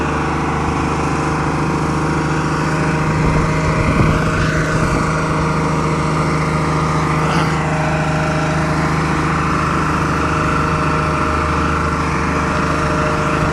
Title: Run away engine Diesel